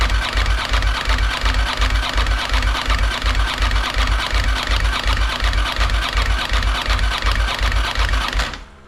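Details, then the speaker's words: 1992 Ducati 900SS after replacing the oil cooler, cranked with ignition off to build oil pressure; even, unlabored rhythmic cranking about three strokes per second for eight seconds; normal cranking, good oil pressure confirmed. "So we're gonna turn it on, leave it off on ignition, and pump up the oil pressure."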